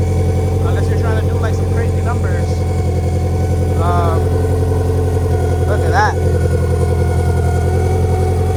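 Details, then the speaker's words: Turbo B18 VTEC (LS-VTEC) Honda Civic EK hatchback, stock oil pump, idling: steady lumpy idle with a faint constant thin whine above it; suspected camshaft wear, valve cover to be removed for inspection, one seal known bad. "I think that whining is either going to be something with a cam shaft. Um, yeah, he's going to have to take off the valve cover, take a look in there, see if one of these cam shafts is wearing or something."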